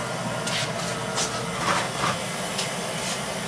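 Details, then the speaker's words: Beckett oil burner that had vibrated and shaken its smoke pipe, with grooves stripped out at the motor-to-pump coupling end: after repair, a steady, even roar of fan and flame with no knocking or rattle, running smoothly. "that sounds a lot better all right that's it just get a tag and we'll be done"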